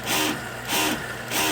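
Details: Splendide 2100XC washer in a bus, pump filling the first load with hot and cold water: loud pulsing whoosh every 0.6 seconds with a hiss on each surge. The water pump runs unusually noisy; a small filter leak was noticed.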